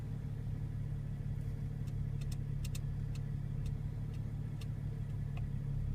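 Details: BMW 335i N55 on cold start: steady idle with a low, even hum and scattered sharp rattle-like ticks that come irregularly, not locked to engine speed; cause of the strange cold-start ticking unclear.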